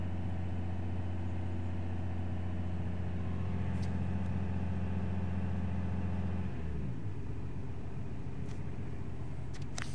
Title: Audi Q7 (2007) ticking noise from engine (noise from inside the cabin)